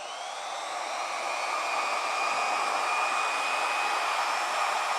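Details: Alloyman corded variable-speed car polisher (speeds 1–7), running off the pad, with a trigger that sounded crunchy. Smooth, steady motor whine climbing in pitch as speed rises, with no grinding or rattle. Normal running across the speed range.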